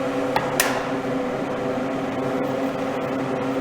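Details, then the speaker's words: Fan blowing through a duct with a ceiling ventilation grille fitted on a homemade test stand: steady airflow rustle and slight hum from an inexpensive fan motor; grille adds no whistle or buzz and slightly muffles motor noise. "Шум ветра, воздух бежит по каналу, шелестит, скажем так, завихряется, шумит. И плюс звук от работы мотора вентилятора."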